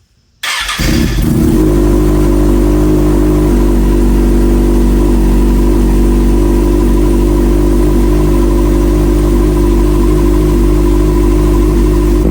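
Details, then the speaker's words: Salvage-rebuilt Kawasaki Ninja ZX6R, first start after new fuel filter, reinstalled fuel pump and new key, cold with coolant not yet topped off: catches instantly, steady even idle with smooth low burble; strong gasoline smell and exhaust smoke noted. "bit all right guys as you seen it started up right away it does smell like gasoline in here terribly terribly bad"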